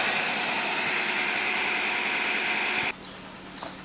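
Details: 1997 Nissan Almera/Pulsar N15, 1.4 GA14DE, about 162k km, first start after roughly nine years sitting with a faulty fuel pump: a steady, even idle on all four cylinders with no stumble, with a coolant leak still present.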